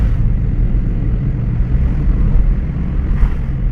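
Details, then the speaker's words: 2001 Toyota Corolla driving after replacing the front CV axle with a torn boot and the caliper, and greasing the bearings: steady road rumble with no clicking or knocking; the axle knock is gone. "We don't hear the axle knocking anymore."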